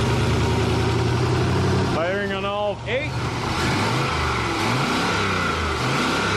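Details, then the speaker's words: Turbo LS1 Mercedes AMG wagon on a Holley Terminator X Max, first start with wrong injectors. Lumpy, hunting, unsteady idle under the exhaust caused by a disconnected vacuum line, a massive vacuum leak, to be reconnected. "it's funny I had this disconnected massive vacuum leak let's fix that and see how it runs"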